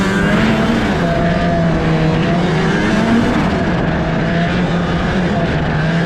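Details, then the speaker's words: 32-year-old two-stroke Ski-doo snowmobile bought for $100, riding at a pole line: a steady, high-pitched drone under power with slight wavering and no matching surge in speed; the drive track is slipping badly. "You can hear it too, the track is slipping super bad. That can't be good."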